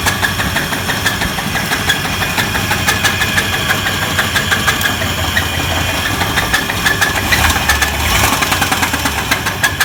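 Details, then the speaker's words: 1994 Chevy S10 engine at idle: sharp, fairly regular metallic knocking about three per second over a rough idle; a rod knock is suspected, though an idler pulley is also possible. "let me show you what a rod knock sounds like now there's two things this could be when you hear it it could be a rod knock or it could be an idler pulley the way it sounds let me start it"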